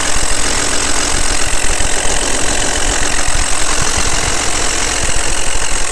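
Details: Audi allroad at idle: a busy, rapid ticking clatter over a fairly loud hum; excessive engine noise, source not pinned down.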